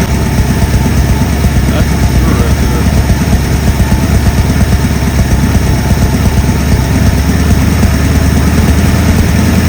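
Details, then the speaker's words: 1964 Ford Galaxie V8 on a run stand, carburetor refitted and fuel primed, oil pressure now working: loud, steady low burble at even idle with no knocks or misses; sounds healthy. "Sounds like a good one. Yeah, I don't know if you could hear me, but so I got the oil pressure working."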